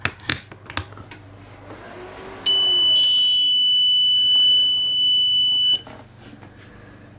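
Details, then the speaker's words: Growatt SPF 3000TL LVM 24 V all-in-one inverter in a van build, first connection to AC shore power: a single unbroken high-pitched beep of about three seconds, the default buzzer, which is silenced by holding down arrow and enter for about three seconds. "by the way that annoying beep that you get once you connect this unit the first time"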